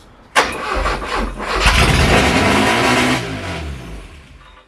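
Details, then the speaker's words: Classic Porsche 924, first start in over 30 years, cranked at part throttle: engine catches and revs briefly, then fades and dies within seconds; starts then stalls, suspected insufficient cold-start fuel or ignition not holding after key release, unconfirmed. "it doesn't want to stay alive. It doesn't want to stay alive, it's run. But it is starting, which But means it's firing in the right that could be the place."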